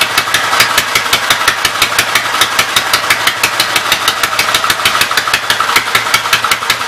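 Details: Westchester engine, newly running after the starter-generator and belt were refitted: fast, sharp, evenly spaced pops with a raspy edge and little low body. The engine likely smokes and is pumping oil, and the owner wants to overhaul a spare cylinder.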